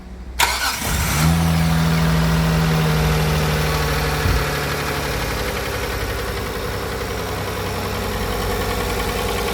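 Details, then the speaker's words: Kia Carnival 2.7 LPG engine brought in for suspected tappet noise: cranks and catches, then idles with rapid tak-tak-tak piston slap while partly cooled; expected to fade after three to five minutes of warm-up. "그러나 약간 냉각이 된 상생과 상태니까 피스톤 슬래브 미 많이 날 거에요"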